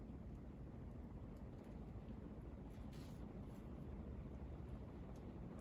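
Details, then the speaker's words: 42-inch Westinghouse Casanova Supreme ceiling fan on high: soft, steady rush of moving air with no ticking, rubbing or hum. Quiet; normal running on high speed. "now we're gonna turn it high speed another thing I want to mention about this fan is that it's really quiet"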